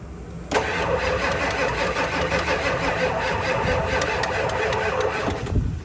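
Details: Ford 7.3 diesel with a recurring blown-fuse no-start, air filter removed and about 12 volts: about five seconds of steady cranking with no firm catch; loose terminal found, owner suspects glow plugs.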